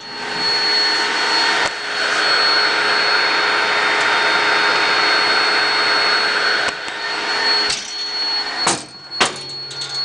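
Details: Robot vacuum DCZ70 running: a steady loud suction roar with a thin, high, unwavering buzz on top throughout; an abnormal buzzing noise, cause unclear.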